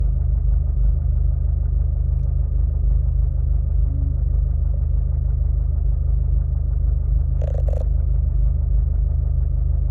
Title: Vw mk6 golf gti knocking sound when idling